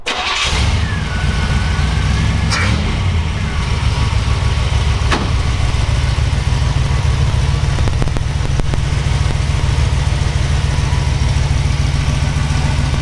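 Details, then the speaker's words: Cold start of a 1969 Jeepster Commando 4x4 with a fresh, low-hour 350 V8 on break-in oil, 4-barrel, 400 automatic, just pulled off the trailer. Quick crank and catch, then a deep, even V8 burble with no ticks or knocks; healthy cold idle. "Very nice. Still cold. Pulled it out of the trailer."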